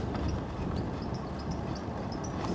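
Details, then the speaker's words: Mooncool TK Pro e-bike while being ridden, after its loose chain tensioner was tightened: short high chirps every fraction of a second over the rolling noise. A squeak whose cause is not yet found. "But I've got a squeak."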